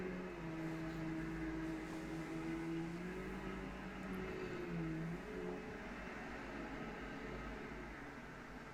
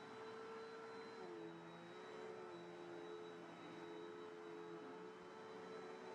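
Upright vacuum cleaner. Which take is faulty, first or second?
second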